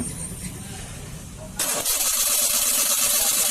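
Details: Maruti 800 petrol engine cranks and catches unevenly, stumbling with a ragged misfire; hard starting and poor pickup caused by a failing ignition coil.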